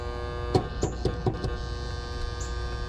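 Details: Outdoor AC unit with a Goodman contactor on a no-cooling call gives a steady low electrical buzz with sharp clacks; the contactor is humming, and the disconnect had no fuses.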